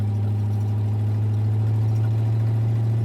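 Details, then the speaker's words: Hot rod "Clyde" with a deep V8 drone, on its first drive of the year after sitting all winter, 80°F day: an uneven, lumpy beat that falters and stumbles as it pulls, with a strong smell; engine stumble under acceleration, cause unknown. "yeah, this thing stinks real bad today. Hear that big stumble? Yeah, we got something."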